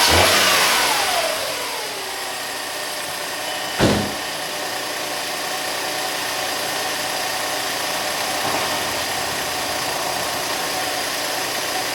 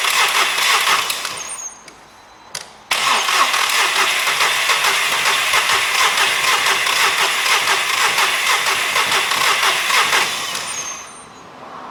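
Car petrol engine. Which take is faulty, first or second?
second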